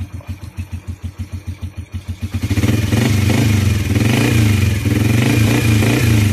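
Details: CT100 single-cylinder motorcycle started after a tune-up with valve clearance set to 0.04 intake and 0.06 exhaust. It thumps evenly at about three beats a second, then picks up cleanly to a smooth steady rev; healthy running.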